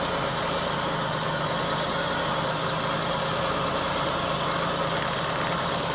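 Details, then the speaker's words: GM Pontiac 3800 V6 with P0300 code, new plugs and wires, idling with a faintly uneven beat and sharp ticking; misfire traced to an ignition coil giving no spark. "And as you can see, looks like there's no spark there. So, we got that with no spark."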